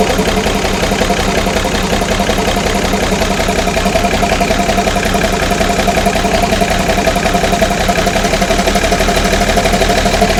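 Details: Ex-army International ACCO 6x6 with a Perkins 6354 six-cylinder diesel, idling after the fuel lines were bled of air: smooth, even clatter with no missing beats or uneven knocks. Normal idle.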